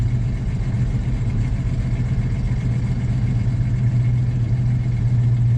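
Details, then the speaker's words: 1979 Chevy K10 cold-blooded engine below freezing: idle held slightly high with an even low rumble until warm enough for the choke to work; the choke is not set, and setting it could fix the poor cold idle. "there we go kind of have to baby it keep the idol up until it can get warm enough that the choke does its"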